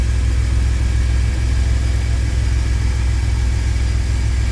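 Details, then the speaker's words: 2000 Chevy Astro idling at about 830 rpm in open loop; it had an intermittent crank-no-start and stalled while driving, with the scan tool pointing to the crankshaft position sensor. Steady, even low rumble with no misses or knocks: healthy idle. "And here it is. Engine is running about 830 RPMs."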